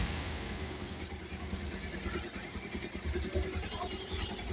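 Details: Bajaj Pulsar 150 BS6 single-cylinder after timing chain replacement for a bad engine noise: quiet idle at a slightly uneven pace, no clear rattle.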